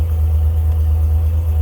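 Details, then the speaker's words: 1946 Chevy farm truck, updated 235 inline six (originally 216), about 107,000 miles suspected: deep, steady low rumble at idle with an even beat and no ticks or knocks; starts and runs really nice with good oil pressure. "Starts and runs really nice. Sounds good. Carries good oil pressure."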